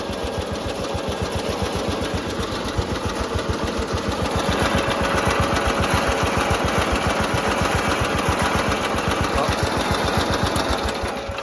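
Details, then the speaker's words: Riding mower engine after repair work: steady single-cylinder thumping at about 220 beats a minute, loud and shaky throughout, seeming as loud as before; the engine is running rough, cause not yet found. "Oh, there we go. It almost kind of sounds like it's just as loud as before. You know? This thing's so shaky."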